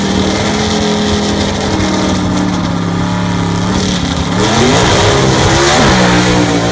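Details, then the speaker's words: Southeast Gassers Association race car, freshly assembled and pre-run engine, track test passes: loud clean note climbing and falling smoothly through revs, pulling hard, no misses or knocks; healthy race engine under acceleration. "i will try to finish this video up hopefully with a few snippets of some of the testing if everything goes well and let everybody hear what the motor sounds like actually making some passes"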